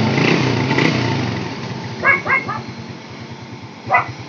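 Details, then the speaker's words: SYM RV1-2 motorcycle after swapping in an SLV carburetor from an XRM 110, with a gas filter fitted and the carb's air and fuel already tuned: an even, steady putter at idle with no stumbling. The carb is quiet and not leaking. "So okay naman, tahimik naman yung carb. Maganda naman, wala namang tagas"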